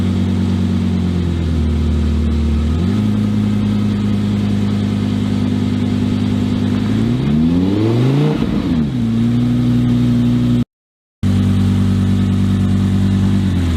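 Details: Volvo 244 race car with mid-mounted V10 on first drive: engine holds high revs, drops back, then sweeps up and down sharply as if the drive isn't taking up; owner suspects the gearbox or electronics.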